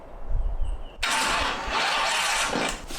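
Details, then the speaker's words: 1931 Ford Model A roadster hot rod being revived, cranked via remote button: harsh loud metallic grind about two seconds with no catch; starter pinion grinding on ring gear, found stuck out, suspected shimming or starter flex. "caution headphone users if this thing grinds it's probably going to sound awful so let's go for it all right it doesn't sound great"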